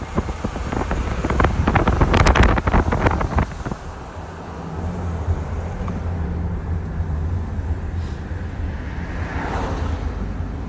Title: What is this noise, bad turbo ? Boost leak ? #audi #turbo #a7 #boost